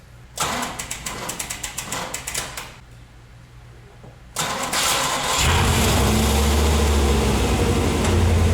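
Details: 3rd-gen Camaro with the fuel tank suspended and everything plugged up to prime: fast even cranking, a pause, then it catches on the second try and settles into a steady, smooth idle; running healthy.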